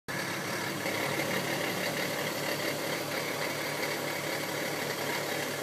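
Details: VW R32 MKV with DSG gearbox, idling: dry, steady rattle chatter only in park or neutral, gone in reverse, drive or sport.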